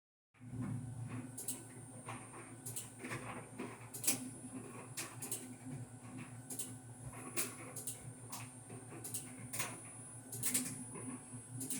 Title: Fisher&Paykel DEIX2 Intuitive/SmartLoad Top loading dryer annoying clicking noise!